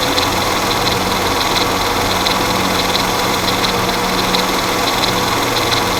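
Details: Mercedes M112 engine at idle: a constant light metallic clatter and whir that is very pronounced at idle and goes away around 1500 rpm; timing chain noise is suspected.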